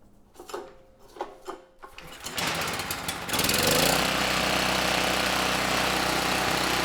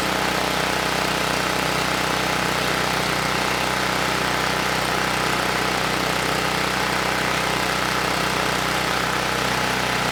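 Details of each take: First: Campbell Hausfeld GN503100AC 5000 W generator, 9 hp Briggs Vanguard, choke on: cranks, catches and settles into heavy, slightly uneven chug; engine itself sounds good but clone 715670 carburetor runs it way too rich, unsuitable. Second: Campbell Hausfeld 5000W generator (GN503100AC), 9 hp Briggs Vanguard engine, running without load after the oversized clone pilot jet was replaced with the OEM pilot jet (clone main jet kept): constant, even buzz with no surging or sputtering, where it previously shook and sputtered.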